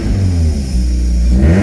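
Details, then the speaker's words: Toyota MR2 first running after a fuel tank system fix: deep, loud exhaust note swelling as it revs, louder than a sealed system should be; exhaust leaking somewhere, to be welded. "the problem we are having minor problem is the exhaust as you heard it was a bit too loud that's because the exhaust is actually leaking somewhere"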